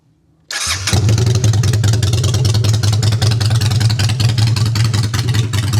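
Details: Honda Shadow after custom exhaust and other modifications, started with choke out in neutral; engine catches right away and settles into an even loping twin idle with a steady low beat, normal start and idle.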